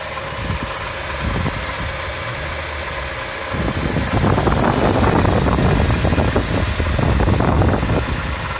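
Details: 2007 Acura TSX engine at steady idle with an uneven rattle that grows louder midway; engine rattle, source unknown.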